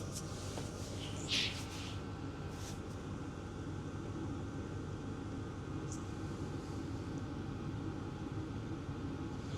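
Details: Hcalory Toolbox Max 8 kW diesel heater (2025) running in a garage, outlet air about 200 degrees: quiet, steady low roar with a faint constant hum and no surging, popping or ticking; burning evenly.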